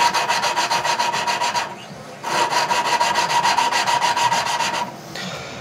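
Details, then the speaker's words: Tecumseh engine valve job: valve hand-lapped, back-and-forth rasping about three strokes a second, a pause, then coarse grinding restarts after the valve is lifted and reseated. "I'm going to do it this time a little longer than I should uh so maybe you can hear the tone change and it after I pick it up it gets it sounds like it's grinding less pick it up put it back down it starts over"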